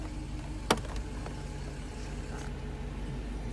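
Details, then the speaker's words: Mercedes 500SL R129 M119 cold start after sitting over a month: even cold idle with a steady low hum on top from the secondary air pump, running normally during warm-up and stopping once warm. "hear the air pump part of the emission system once it warms up the air pump stops"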